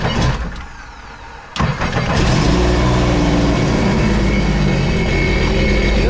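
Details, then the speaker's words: 2016 Sea-Doo RXT 260 freshly rebuilt after zero compression in one cylinder, with a newer-style carbon seal: quiet cranking, then a clean catch into a smooth steady idle. A first puff of oil smoke is expected from the new build. Normal start. "going crank it up hopefully the battery is good oh that was nice oh there is the smoke so that's the smoke from brand new engine"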